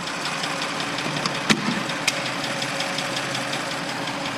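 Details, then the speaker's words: Audi S6 bought from Copart, first start after new turbo install, run with no coolant, heard from outside the car: a smooth, steady idle with an even hiss and no heavy knocking or rattle, running cleanly. "all my words it started it actually sounds amazing unbelievable let's go see how it sounds on the outside [Music] Wow absolutely purring that is amazing"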